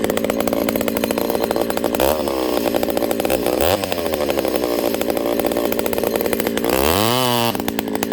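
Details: Ported Homelite 922 chainsaw after clutch fix, new fuel line and cooler heat-range plug, started on full choke: two-stroke idles with crisp even buzz, snaps to high revs and drops back cleanly; runs strong and healthy.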